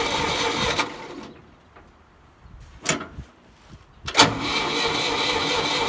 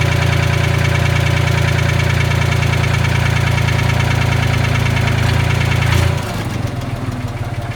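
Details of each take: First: Old Ford forklift with repaired updraft carburetor: engine spins in short cranking bursts with pauses and never fires; it won't start because the fuel was left turned off. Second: Old Ford forklift engine with updraft carburetor after patching its leaks with acid, pop rivets and epoxy: steady, even idle, smooth low throb, settling lower near the end; runs normally, no leak.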